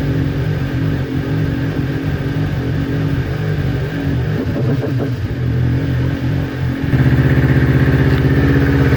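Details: Newly built Kawasaki Ninja twin that bogged and stalled when warm, after ignition coil pack replacement: steady, even idle, picking up slightly near the end, consistent past the usual warm-up problem temperature; both cylinders about 258 °C.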